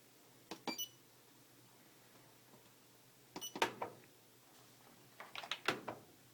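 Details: Fisher & Paykel Trusty Aquasmart washing machine won't start; quiet with short bursts of clicks and chirps/beeps every two to three seconds, no motor running; cause unclear.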